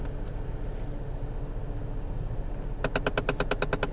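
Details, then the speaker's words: 2004 Chevy Cavalier climate control set to recirculation: steady blower hum with fast sharp tapping, about nine clicks a second, from a slipping air inlet actuator motor; repaired by replacing the actuator module. "you get this tapping noise. And that tapping noise is because as you move through these different positions, there's an actuator motor that has to move a mechanical assembly to make the selections that you choose."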